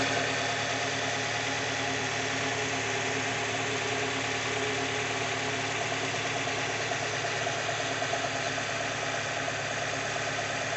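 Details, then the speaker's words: 2002 Mazda MX-5 Miata after ECU repair (faulty front coil driver), new spark plugs, one pattern coil: steady, even idle, smooth note, no misses or knocks; coils similar temperature on thermal check, fixed. "make sure it's all good but certainly sounds good check it out with the thermal image"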